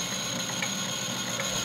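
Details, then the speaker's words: Refurbished industrial plastic shredder, repaired plastic gears, newly driven by induction motor instead of hand crank, running unloaded: steady whir with fine even gear chatter, no knocks or skips; gears meshing pretty well, normal. "that guy's meshing pretty well okay so let's see how it does with a piece of plastic"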